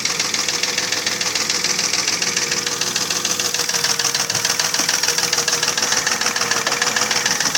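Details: Mercedes ML320 V6 (M112 3.2) at about 300,000 km, idling: steady hollow knock about 3.5 per second, persisting after bearings, tensioner, rollers, camshafts, chain and lifters were replaced; pistons rocking in scored cylinders.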